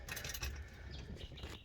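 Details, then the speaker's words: FJ with newly installed 6-volt reconditioned Bosch 4-brush starter motor replacing the 2-brush unit: brisk, even cranking whirr with no dragging, the starter has a zip and starts much better; healthy starter. "Oh, I like how it's got that little zip on it. So yeah, look, much better starting with a 4-brush starter motor."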